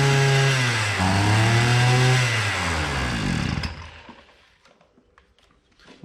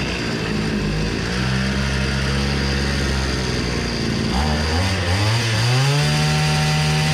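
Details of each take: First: Hyundai two-stroke brushcutter that bogs at low rpm and spins the head slowly: the note wavers and sags instead of climbing, never reaches full revs, then dies; bogging from a fuel-soaked air filter. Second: Hyundai two-stroke brush cutter after repair (flooded air filter): bright buzz holds steady, dips and climbs back smoothly when revved; runs clean and takes throttle well.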